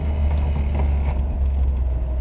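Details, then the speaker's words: 1962 Ford Falcon, apparently 200ci six, first start in quite a while after pumping the carburettor: deep even rumble settling to smooth steady idle, no knocks or misses — runs good, normal idle. "Can't move it because it's got a flat tire, but she runs good."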